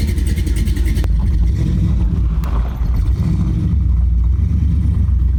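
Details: LS V8-swapped Chevy Astro van, cold start in the shop: catches and settles into a deep fast idle, then blips up and back down cleanly with no odd noises; healthy.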